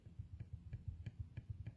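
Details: Citroën C2 1.4 HDi, engine off: soft, regular clicking about six times a second as the alternator pulley is turned by hand. The overrunning pulley is worn and defective, and is to be replaced.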